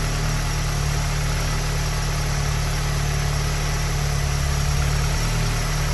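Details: Tuned EA888 (Vortex XL turbo, MPI kit, 1300cc injectors, E85 tune, 530 WHP) idling after an EQT high-pressure fuel pump cap/line kit install: deep, steady, even idle with no knocking, ticking or stumbling; a small fuel leak is found afterwards.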